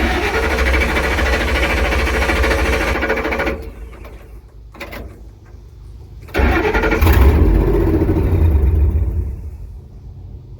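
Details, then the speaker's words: 1954 International pickup, wiring being tested: engine cranks, fires, runs briefly then dies over and over; owner suspects fuel pressure, unconfirmed; engine starts then stalls. "wants to start but it's not let's try it again you see it's dying over and over again it might just be a fuel pressure issue might just have to build it up no it keeps dying"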